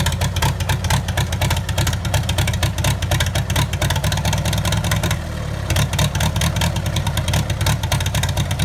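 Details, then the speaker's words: 1954 Farmall Super M tractor, first start after auction purchase: steady, even beat with no misses or knocks, running clean once choke is pushed in; normal running. "wow that sounds good oh yeah you gotta push the choke in that'll run on the six bowl [Music] wow she sounds sweet connor"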